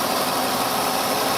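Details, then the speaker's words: 2005 Mercury Sable, Duratec 3.0 V6 24-valve, after replacing the oil pressure sending unit behind a false low oil pressure warning. Steady, smooth idle hum with no ticking, knocking, tapping, lifter or rod noise; the engine runs great. "was not getting any engine noise lifter noise Rod noise engine is completely silent runs great"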